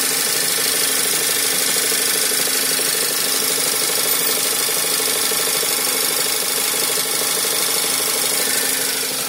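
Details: Skoda Superb II 2012 with the 1.8 TSI CDAA engine, first owner, 112,500 km, at idle: a hissy, rubbing rattle rides over the engine. Abnormal noise, source unclear.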